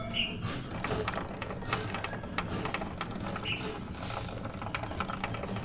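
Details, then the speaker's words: Suzuki GSX-S150 motorcycle, about 1,500 km over 4 months since the last oil change: a dry, repeated clicking from the chain and sprocket keeps pace with the turning chain. Named causes are an over-tight chain or dirt, and here it is mud and grime on the front sprocket. "So kung mapapansin niyo merong lumalagutok no doun sa chain and sprocket natin. Meron lang naman dalawang common na dahilan kung bakit nangyayari yon."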